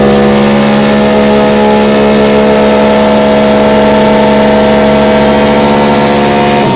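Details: Yamaha NMAX bored up to 180cc with 34mm RPD throttle body and 140 injector (after 125), valve clearance already corrected: strong, even full-throttle drone on the dyno holds steady then climbs smoothly at the end; AFR good, clean healthy running.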